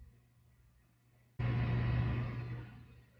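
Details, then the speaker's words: Isobaric gas-tight (IGT) sampler valve motor, tested on deck with the ROV simulator, closing while primed to 500 mA; current reads around 797. A geared motor kicks on, gives a steady low whine, then stops once closed. This is normal gear whine. "Yeah, Gear whining, 797. we hear that. Yep. So it stopped."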